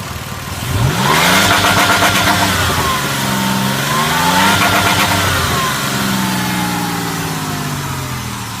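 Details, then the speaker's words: 2002 Ford Escape V6 automatic, 195,000+ miles, under load near 3,500–4,000 rpm with hard throttle: revs waver and dip repeatedly instead of climbing, stutter with power loss, cause unknown. "до этих оборотов все нормально автомобиль едет отлично никаких таблеток или нет вот стоят резко нажать на газ как начинается вот такая вот штука"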